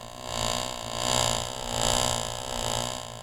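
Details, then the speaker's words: Driveline model driven by a constant-speed electric motor, yokes set 90° out of phase: a card held on the second shaft's sprocket swells and fades in pitch twice per revolution as the shaft speeds up and slows down. "The rotating speed of the shaft varies. One revolution of the shaft sounds like this. As you can tell from the sound, the shaft speeds up and slows down twice."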